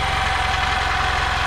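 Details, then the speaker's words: 1992 EZ-GO limousine golf cart, 2-cylinder Robin engine revived after sitting 16 years outdoors: low, even putter with steady firing pulses, no misses, knocks or smoke, very quiet; normal idle. "this thing runs awesome no smoke at all wow thing runs great super quiet man I can't believe how quiet this thing is"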